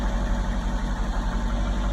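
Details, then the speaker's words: Nissan Altima 2.5 that wouldn't start, after new spark plugs and valve cover seals: steady, even low rumble with no misses or knocks, settling into a smooth idle after starting. "as you see guys first drive with the new spark plugs running three doing great super easy install great"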